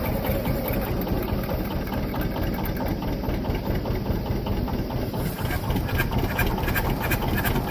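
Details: John Deere 730 two-cylinder diesel tractor, parked for years after a water-pump failure: with the water pump rebuilt, it was belt-started from a John Deere 70 because the generator was off, its first start in 7–8 years. Steady, loose chugging idle, normal.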